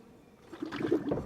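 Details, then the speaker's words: 600,000-mile Lexus LS430, power steering bleeding: wild wet gurgling and bubbling as the wheel is turned lock to lock, fluid level dropping while air pockets work out; air in power steering fluid. "it's gonna do those wild bubbling that's normal because you're getting all these air pockets out"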